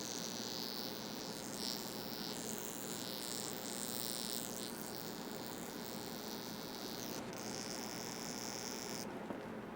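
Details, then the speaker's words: Incandescent Christmas light string tested with a commercial zap box; the section has broken wires. A faint, steady high-pitched buzz over a quiet hum comes from a bad bulb, which was warm when pulled. Buzzing faulty bulb. "and there's probably multiple broken wires in here so that's it that's an issue hear that noise that's what you're listening for"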